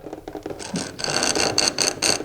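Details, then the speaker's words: Wall-mounted boiler wet-rotor water pump, shaft felt stiff and freed by turning it with a screwdriver; quick rhythmic scratchy rasping of the screwdriver rubbing the spinning shaft shows the rotor now turns freely, pump running normally. "Es un eje sobre el que se puede actuar y una vez se desatasque la caldera debería de funcionar."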